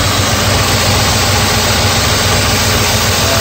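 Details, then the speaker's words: 1984 Mercedes 380SL idling after repair of the idle control: idle was stuck around 1500 rpm and now drops to about 900 rpm, a low, steady idle with no surge. Idle is regulated by a controller and air control valve; normal idle speed. "but now you can see that it did come down turns out there's a controller there that regulates the idle [Music] so it's dropping it down to about 900."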